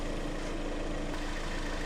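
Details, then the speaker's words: 2012 Hyundai ix35, G4KD engine, front-wheel drive, ~134,000 km, after engine rebuild for knocking and scoring (oil cooling jets added), flushing oil in, warming up: steady, even low idle hum, no knocks, ticks or rattles; no extra noises or leaks. "ну что друг новая жизнь при ста тридцати четырех тысячах работает хорошо"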